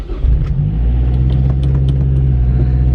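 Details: Mazdaspeed 6 at night, cold start after sorting the engine bar fuse and clearing the codes: it catches quickly and settles into a smooth, even deep rumble with no misses. A clean, healthy cold start, with the traction light gone.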